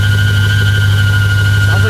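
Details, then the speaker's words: Truck with an LS V8 and a blower: a steady high whine over a deep, even idle. Cause unconfirmed, belt or power steering pump suspected; the engine was earlier driven about 20 minutes at 4,000 rpm with zero oil pressure. "it's got a blower hear it it's whining"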